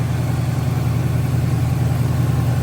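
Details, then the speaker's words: 1971 Buick Skylark Custom V8, fired with manual start wire after pumping gas, belts being replaced: even, fast low rumble with steady pulsing, no misses or knocks, smooth high idle; charging only about 12.48 V, alternator suspected weak. "Look at there. She's running smooth."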